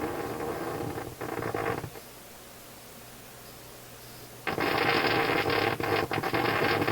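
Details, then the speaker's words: Philips console stereo tube receiver run from external bench supply around 100-plus volts, rectifier tube isolated; hiss with sharp uneven clicks and pops, current jumping; high-voltage rectifier tube ruled out as cause; crackling and popping. "Hey, some of the weird clouds that are in my head just got blown away, so I don't have to worry about the high voltage rectifier tube as being part of the clicky problem."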